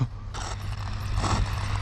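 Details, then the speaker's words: Traxxas X-Maxx RC truck with 1100kv motor: short bursts of harsh ratcheting grind over the motor drone as power goes on after flips; the spur gear is stripped with three teeth missing. "Sounds spur gear. Spur gear's done. That's why it sounds like that. We got 3 teeth off."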